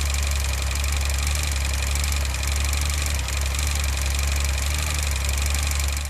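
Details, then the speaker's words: 2019 Triumph Tiger 800 XRx Low, about 10k miles. The engine idles with a fast, busy metallic rattle from a failing cam chain tensioner. "the next thing to go was the cam chain tensioner have a listen to"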